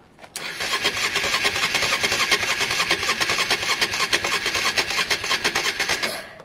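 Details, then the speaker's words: Honda Varadero 125 during spark-issue diagnosis, trying to start with a carb out of sync: slow uneven starter churning that never catches; battery is dead, likely part of the issue; carbs need removing again, screws rounding. "what does that do it on mmm showing that battery is dead that was probably part of the issue they want in sync you see if there's any juice at all"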